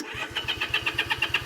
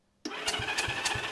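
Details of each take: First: Honda CA78 305 Dream, unridden since 2010 (14 years), choke on, fuel on, key on, throttle stuck: steady starter chug about three beats a second with a pause and no firing. Spark confirmed, no fuel. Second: Honda CA78 305 Dream twin, sitting unridden since 2010, cranked on the starter with spark plugs out for a finger-over-plug-hole compression test: strong, even chuffs about every third of a second, steady and matched, showing healthy compression.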